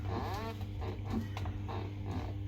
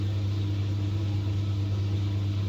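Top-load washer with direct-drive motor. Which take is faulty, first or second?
first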